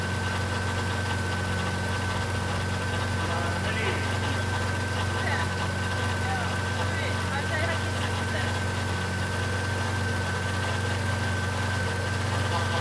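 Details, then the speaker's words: BMW E30 M52 turbo at idle on first start after the engine build: a steady high whine at one pitch over a smooth idle from the power steering pump. The pump has air in it, and the ATF is foaming and overflowing with bubbles. "What is that noise? Strange noise. It's power steering pump. When those do work? That's quite funny sound. What it is doing? There is air inside the pump."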